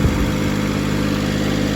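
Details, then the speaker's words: Skyjack scissor lift three-cylinder Kubota petrol engine idling steadily with an even low pulsing beat after fixing a misfire from arcing spark plug wire and poor spark plugs; sounds much better than before. "it has fuel it takes a second okay here we go this sounds way better"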